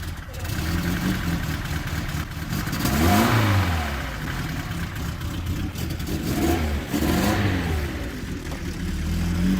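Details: First start after carburetor rebuild with repair kit and jet changes. Engine catches and runs low and uneven, revs rising and sagging twice instead of settling; idle speed very low and mixture out of adjustment, to be set with a warm engine.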